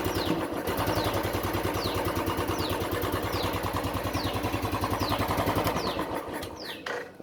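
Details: Royal Enfield Classic 350 EFI; slow thumping idle about three beats a second, uneven dropping pulses, stumbling before it dies; ignition misfire with unstable, low RPM, cause suspected not confirmed.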